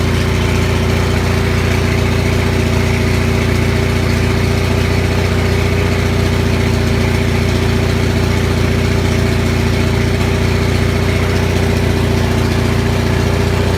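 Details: Onan 6500 (6.5 kW) gas commercial generator, no muffler, after cleaning a severely fouled spark plug; steady, even drone with a low pulse near three per second and no stumbles; smoother, voltage still jumps a bit.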